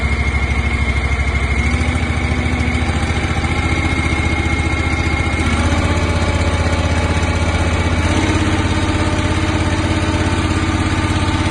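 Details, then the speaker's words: Engine on a 1.75-yard concrete mixing trailer, started on choke with cooling fan on, throttle eased up twice; steady drone steps up in pitch, smooth regular firing, no knocks; running normally. "And then you just give it up a little bit on the throttle, give it a little bit more power, ease into it."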